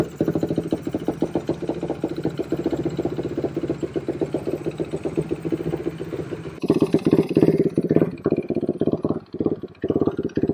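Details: Suzuki Quadracer LTR450 single-cylinder quad that won't take throttle, likely loaded up from cranking: runs ragged, stumbles, pops and backfires when throttled; fuel starvation.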